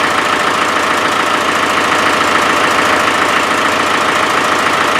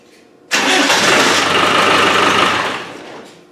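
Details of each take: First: Land Rover 300Tdi diesel at steady idle: regular puffing chuff about three times a second; owner believes compression is escaping around the glow plugs; glow plug compression leak. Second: Land Rover 300Tdi diesel, previously hard to start: catches instantly with one sharp burst and runs strong and even; a bad connection on the injector pump is thought to have been the cause; normal start.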